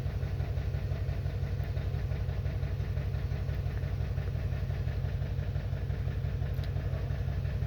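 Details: 2021 Toyota Camry idling low with a slightly uneven pulse about three beats a second; engine misfire caused by internal ECM fault in the ignition coil control circuit.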